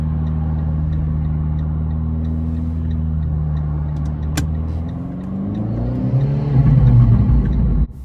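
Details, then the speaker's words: Manual learner car moving off: a steady idle drone holds its pitch with no dip or bog. The engine note did not drop, so she was not in gear or had not found the bite point, causing a rollback. "As you could hear, the engine note did not drop, signifying that she was not in a gear or she hasn't found the bite point."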